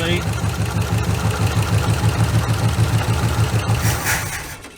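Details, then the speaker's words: 1976 Ford F150 abandoned 30+ years, first runs after checking the carburetor float holds, fed from a temporary gas tank: lumpy, uneven idle with beats dropping out of the exhaust now and then; missing on a cylinder at idle. "it is missing but I mean I"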